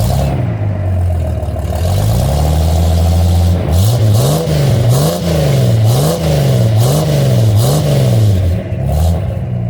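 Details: 1978 Pontiac Firebird V6 with newly clamped exhaust, heard from the rear: deep, throaty idle swelling into even blips and revs, pitch rising and falling cleanly. A healthy, crisp exhaust note.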